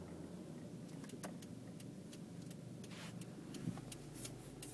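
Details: 2002 Toyota RAV4 while rolling: light, irregular knocking from the rear drum brakes even though pads and drums were all replaced with new ones; cause unknown.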